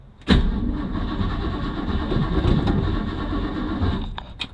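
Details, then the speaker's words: Old Mustang with a new flywheel and starter just installed and a cracked block JB-welded, in park on first crank: the starter turns the engine steadily but sluggishly for about four seconds without catching, otherwise sounding fantastic, slow cranking from a low battery. "it sounds it sounds fantastic except for the uh the battery being a little low"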